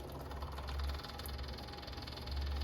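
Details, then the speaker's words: Kubota BX1850 diesel tractor after replacing both fuel filters (had low idle and sputtering), bleed screw cracked, key on: quick steady ticking buzz over low hum; electric lift pump priming normally, filter filling, air bleeding out. "And once we turn the key on, this is where the air will bleed out. This filter will fill up."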